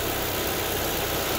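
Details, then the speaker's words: Chevrolet Sonic 1.8 after the faulty camshaft solenoid was replaced: steady, even idle with a smooth low hum, no ticking, no fluctuating revs and no camshaft codes after a test drive; a normal, healthy idle. "Стука нету, оборота не плавает, фен постоянно боит."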